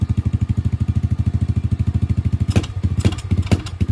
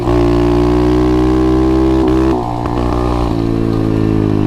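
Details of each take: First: 125cc pit bike with a new 26 mm Nibbi carburettor, small jet changed to a 40, on a test ride: single-cylinder putter stumbles and pulses unevenly when the throttle opens. Bogging and seemingly short of fuel; the main jet is being changed next. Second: 125cc pit bike with a newly installed 26mm Nibbi carburetor, after adjustments: it revs hard, then drops back to a steady idle without stalling, where it used to die on slowing or stopping. Normal idle after revving.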